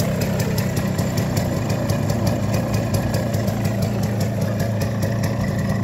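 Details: Minsk Leader 3.113 two-stroke motorcycle with an Indian Pako carburettor: an even, rapid putter at steady idle with crisp regular firing and no misses; it runs much like an MZ and sounds good.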